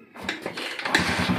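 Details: 2008 Honda TMX155 CDI motorcycle after rebuild with original parts (bearing, conrod, timing, clutch lining, gaskets): short crank, catches and settles into even idle pulse about ten beats a second; previous saw-like internal knocking gone, clean healthy start.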